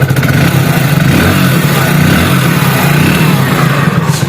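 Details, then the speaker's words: BS6 fuel-injected motorcycle after injector tested with multimeter and reassembled: low steady idle holding without missing; it started before too but misfired, now running cleanly; check light and error still present. "इसके injector को assemble करने के बाद तो गाड़ी तो start है, start पहले भी हो रही थी।"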